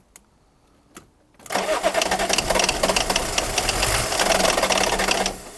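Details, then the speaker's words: BMW E34, long-sitting car on fuel probably from 2008: quiet relay-like clicks, then rough cranking with ragged firing for about four seconds and smoke out the back before it dies; fires but won't run, old fuel suspected. "And it started, and there's smoke coming out the back as well. There was smoke, so it's firing, it's trying to go."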